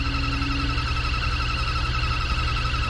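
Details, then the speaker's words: Newly installed four-wire blower motor in a 3.5-ton Rheem/Ruud outdoor AC cabinet unit: steady high squeal over the blower's low hum from switch-on; the brand-new motor squeaks, cause unknown. "we go turn it on that motor's squeaking I don't know why with a brand new"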